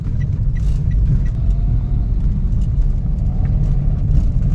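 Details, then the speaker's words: Toyota Wigo driven up a bridge incline on a road test after the fender creak was fixed: steady low road and engine rumble, no creaking from the body; noise gone. "Wala na. Kasama natin si sir. Wala na. Nawala na."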